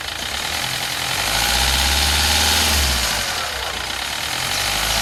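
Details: 2007 Kia Rio CRDi diesel, 270,000 km, idling: steady diesel clatter with a sharp, fast metallic rattle riding on top at an even pace; timing chain noise suspected, source unconfirmed.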